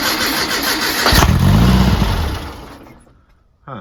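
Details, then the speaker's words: Brubaker Box with newly installed engine and two-barrel carb, first start attempt: starter churns, engine coughs briefly but never picks up; seems not to be getting gas from the fuel tank, ether spray makes it go. Cranks but won't start. "it's like it's not getting gas if I spray a little ether in there it goes of course"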